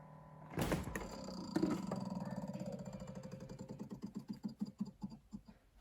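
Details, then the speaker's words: Samsung RF28HFEDBSR fridge, phone at back: buzzing, vibrating hum breaks into slowing ticks, stops when door opens — evaporator fan blades striking ice built up on coils behind internal panel, defrost system suspected faulty. "this is making this noise earlier kind of sounds like uh something vibrating it's actually a fan inside the refrigerator if you'll listen when you open it it'll stop"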